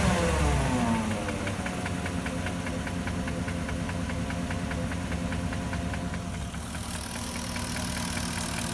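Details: 2004 Porsche Cayenne S 4.5L V8 used swapped-in engine settles to idle with a steady, hollow knock about twice a second: piston slap; later replaced by rebuilt engine.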